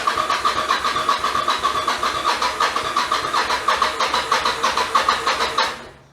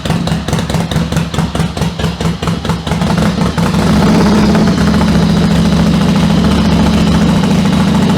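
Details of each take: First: 1996 Yamaha XV750 Virago bobber with its twin carbs refitted after a single-carb conversion, cranked cold without choke: the starter churns in steady pulses about three a second for five seconds and never fires. It is a hard cold start, worse than before. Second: 1996 Yamaha XV750 Virago bobber with a single-carb conversion, cold start on the choke levers: uneven chuffing pulses settle after a few seconds into a smooth, steady idle. Normal cold start warming up.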